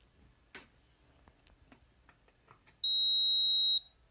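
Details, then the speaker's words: Induction cooktop that won't start, 220 V supply connected: a few faint clicks, the fan spins and stops, then one long steady high-pitched beep of about a second; no start. "saya colokkan sumber listrik, kipas berputar dan berhenti dan terdengar bunyi bip panjang."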